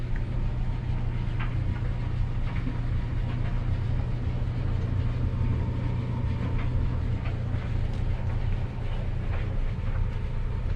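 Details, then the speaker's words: Maytag LDE6914ACL dryer after DIY belt and drum guide replacement, after running 5–10 minutes to settle in: steady low drum rumble with no squeal, thump or scraping; smooth, even run, repair looks a success. "it sounds like everything's settled in. Nice and smooth. So it looks like a success."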